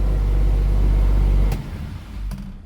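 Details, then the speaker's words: Triumph 2000 barn find, low on fuel, dies on any throttle; steady low running note collapses within a second when the choke is pushed off, only runs on choke. "if I put the choke off, that's it, it's gone."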